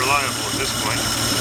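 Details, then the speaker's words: 1950 Dodge cold start, accelerator pumped about ten times, choke open, no throttle: catches and settles into a steady, even idle with a smooth running note. The start is repeatable. Normal cold start. "it looks like all it really likes is a whole bunch of gas no choke no throttle so just gonna pump in a bunch of times and see what happens"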